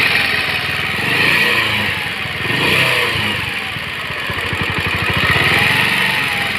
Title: Pulsar 150 engine sound problem